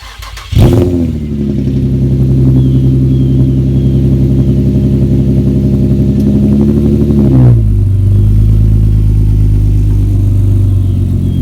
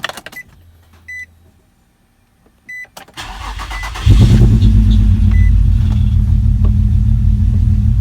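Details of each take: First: Nissan G project car at first cold start after replacing the coil packs fixed its running issue; it catches on the first crank, flares, then settles into a steady even fast idle with no misfire or knock. Normal cold start. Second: Project G car first start: dash chimes, cranks, catches and settles into an uneven, lumpy misfiring idle; the camshaft position sensor is then replaced.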